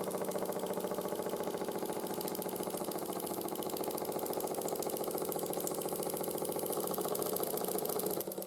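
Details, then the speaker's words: 1914 Ernst Plank 114/1 vertical steam engine after rebuild with new crank pin, wrist pin and crank shims: quick chuffing about three and a half per second with faint clunk each turn; residual crank knock when hot, much quieter. "s you can hear the knocking is still there try and fix that with but it's a lot quieter now than it was before"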